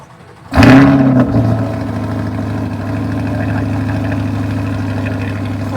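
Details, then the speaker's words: C8 Corvette started right after an engine air filter replacement: crank catches fast with a brief flare, then settles into a steady, even, low smooth idle with no knocks or misses; sounds fine, normal start and idle. "The sound is probably going to change also. I don't know what it's going to sound like here, but here we go. Let's start it."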